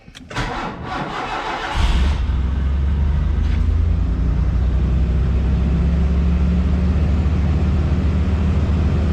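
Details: 1986 Mercury Cougar 3.8L after fixing intermittent no-start (fuel relay and inertia switch checked, switch bypassed); starter whirs under two seconds, catches cleanly and settles into steady low idle with no misses, starting normally.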